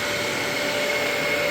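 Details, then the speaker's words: Dyson vacuum after maintenance and reassembly, brush roller working, vacuuming debris: smooth steady high-pitched whirr with clean constant motor tone, no rattles or surging; running healthily. "I need to vacuum up a little bit where I was working right okay we go and oh wow that is amazing"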